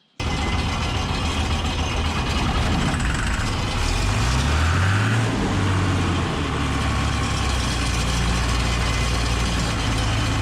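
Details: John Deere 955 combine diesel, started with starting spray: catches straight away, blips up briefly, then settles into a steady even rumble with no stumbling; starting and idling normally.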